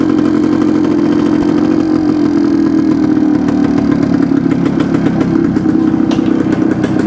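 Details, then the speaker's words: 1972 Suzuki TS250 two-stroke with a fuel delivery problem, 170 jet fitted: buzzes with a steady but slightly uneven beat, more responsive but still hesitating and not taking fuel; owner plans to change the plug, cause unconfirmed. "sounds better but it's it's still not taking the fuel I'm I think I'm going to change the plug and try it again"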